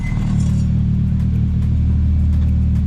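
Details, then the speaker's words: Toyota Celica being prepared for a track day, just fitted with a new Gravity exhaust, idling: a deep, even exhaust rumble with no rattles, blows or tapping. The new exhaust sounds sound and healthy. "That sounds so much better already."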